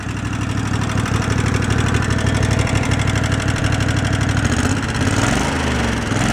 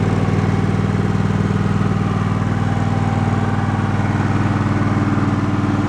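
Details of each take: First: Two-cylinder engine, previously running on one cylinder, idle speed turned down and mixture tweaked: over a lumpy low idle, a fast, even clacking at every firing. Valve clatter on one cylinder. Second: Twin-cylinder engine put back together and run about 20 minutes, first at fast rpm then lower: steady even low chug about two beats a second, no knocks or misses; running normally.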